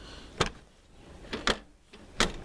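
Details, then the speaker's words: Tavria rear hatch after repair: rubber stops added left and right where torn seal left a gap; three solid clean thuds closing, no rattle when shaken, hatch latches firmly. "То есть вот ляда закрыта, я за неё шатаю, ничего не стучит, всё отлично держится, всё хорошо."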